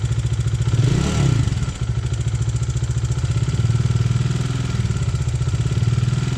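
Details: Bajaj Dominar 400 UG 2020 single-cylinder at idle at 12,000 km: steady thump with dry, fast ticking clatter, valve train noise from cracked valve guides blamed on poor cylinder head material; an exhaust valve later broke.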